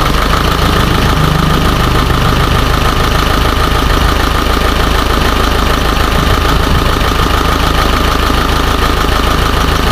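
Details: Isuzu 4HJ1 diesel with low power and hard starting: idling with a clattery, somewhat irregular beat of about three pulses a second; rough running misfire, cause not yet found.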